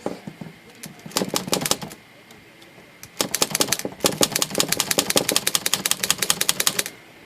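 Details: Olivetti Lettera 22 typewriter after freeing sticky parts, the seized carriage bearing and the ribbon drive/reverse arm; crisp, even keystrikes about three per second with clean carriage action and no drag, working properly.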